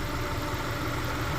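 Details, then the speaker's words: Subaru Impreza bugeye idling, injectors heard firing: steady, even idle with smooth low drone and no ticks, knocks or misses; sounds healthy. "I hear the injector's firing so that's good obviously they're firing otherwise it wouldn't be running"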